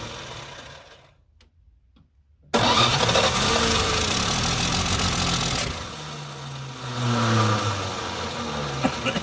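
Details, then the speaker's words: Plymouth Duster revived after sitting about two decades, carburetor accelerator pump gone: engine catches after a pause into an uneven, lumpy idle with a wavering low drone; owner suspects timing too slow; rough running. "ain't got no accelerator pump it's gone she's a runner there we go"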